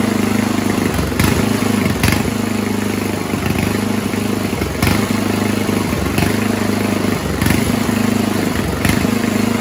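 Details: 1970s Roper 1032 snowblower, probably 10 hp Tecumseh-style single: runs steadily but surges and sags every second or two, mild idle hunting from lean idle circuit; fixed-jet bowl fitted, richer idle mix cured it.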